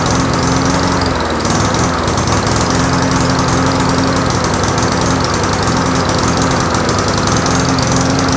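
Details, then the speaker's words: Briggs & Stratton Classic push mower engine with carburetor mounted on the fuel tank, new gasket, diaphragm and governor springs fitted: engine drone sags and picks back up instead of holding steady. Surging caused by an air gap leak at the carburetor. "and your engine's going to surge erratically because it can't stabilize itself."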